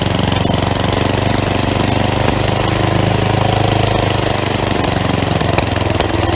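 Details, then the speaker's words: Craftsman 11/30 snowblower after auger belt replacement, with the high-speed screw backed off because it had been revving very high: a steady, even single-cylinder beat at constant speed, no surging or over-revving. Normal running. "back that off just a little bit fire it up see how she sounds"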